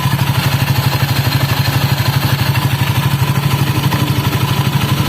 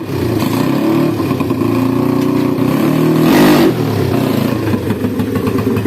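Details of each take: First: Honda Scoopy scooter lacking power, heavy sluggish acceleration: rough pulsing churn from the CVT belt drive about two beats a second over idle; roller housing damaged, spacer seized and unable to move, needs replacing. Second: Honda Scoopy ESP scooter after replacing the damaged CVT roller housing with its stuck spacer (before: no power, weak pull, rough CVT noise): engine note climbs smoothly with throttle, no slipping or judder; acceleration and top speed good; normal acceleration.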